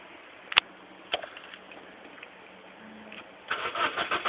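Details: Honda Accord 1.8 VTEC that won't start: a few isolated clicks, then a quick rhythmic starter churn that never catches. Crank, no start.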